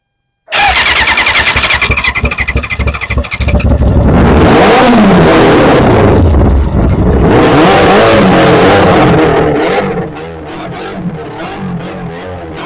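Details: 1991 Kawasaki Ninja ZX6, first start in 10 years, before carburetor rebuild: catches and revs hard and ragged, then sags and stumbles when throttle is released, will not idle; carbs suspected.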